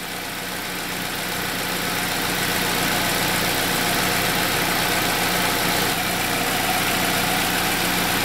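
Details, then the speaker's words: 2007 Saab 9-3 2.0T with intermittent injectors-staying-on fault, codes P1682 and P0201-P0204: after the fault just cleared, steady even idle with smooth regular beat, no stumbles or misses; engine running cleanly again. "I'm starting to hear the vehicle run better. I can hear it starting to clear up. Everything's coming back to life."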